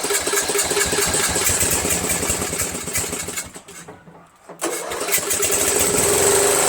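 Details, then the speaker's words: Murray Select 13.5 mower, Briggs & Stratton flathead single with repaired valves and head bolt, started after sitting overnight: runs unevenly and nearly dies before picking up; rough running, worse than the day before, cause unconfirmed. "so it doesn't run as good as it did yesterday"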